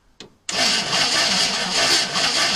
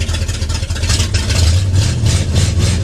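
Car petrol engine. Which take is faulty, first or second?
first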